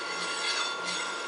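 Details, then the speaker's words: EnerTrac DU-602 hub motor on test bench, 42 V supply with 250 W e-bike controller; steady motor hiss with repeating metallic ding from the disc brake adjusted very close to the rotor, plus slight vibration from shipping drop. "Le ding ding ding qu'on entend, ça se trouve être le frein à disque de l'autre côté qui est ajusté très près du disque."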